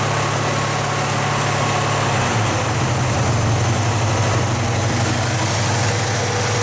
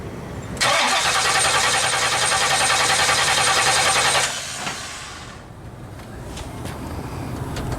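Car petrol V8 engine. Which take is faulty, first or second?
second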